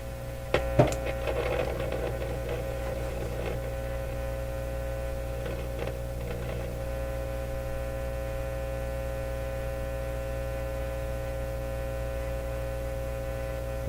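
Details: Nordmende Elektra F13 tube radio gone quiet after about half an hour of running, with output tube grid voltage rising: steady low hum and faint buzz, no audio. Hum present; cause of the reported fading output still unconfirmed at this point.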